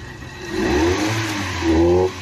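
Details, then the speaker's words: Maruti Eeco with codes P0133, P0130 and P0171, starting trouble, no pickup above 20–30, and won't run on CNG. The engine flares unevenly, sounds choked and breathless, won't rev fully, and stalls at idle, with an odd noise from the inlet side. Suspected choked silencer or catalytic converter. "आप देख सकते हैं अजीब तरीके का noise आ रहा है और गाड़ी बंद हो जा रही है खड़ी खड़ी आइडलिंग में भी।"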